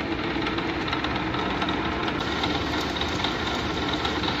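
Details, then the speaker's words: 1980s Clausing-Colchester 15x50 lathe being commissioned, converted to 240 V single phase, belt looking a little loose: spindle runs under power with a light, even gear whirr and rattle from the headstock; mild gear noise. "Little bit of gear noise."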